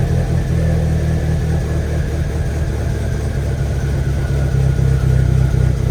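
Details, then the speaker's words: Rebuilt VW 1.8T idling, crank confirmed at top dead center, cam position sensor code present: low, lumpy, uneven idle with wavering beat instead of smooth hum. "okay so it's still a running really bad really rough and this camshaft"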